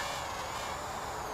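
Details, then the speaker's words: Full Speed Leader 120 brushless micro quad on a line-of-sight punch in angle mode: high buzzing motor whine with a slight wavering flutter. Owner suspects the D gain is too high. Motor flutter. "I'm hearing a little bit of a flutter, so I think,"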